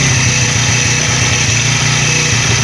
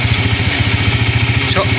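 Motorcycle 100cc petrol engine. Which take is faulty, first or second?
second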